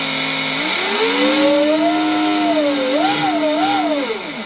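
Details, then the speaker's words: Pro Boat Veles 29 RC boat with upgraded stuffing tube, Speedmaster 21 strut, .187 flex cable, Castle Cobra 8S: smooth motor whine rising and falling with throttle, bit loud from metal-on-metal liner, no cable whip or vibration; drive line warm, running normally. "So, actually sounds pretty good. Little loud. Little loud. Cuz this is metal on metal, right? If it was a teflon liner, it would be quieter. This is normal. It's normal."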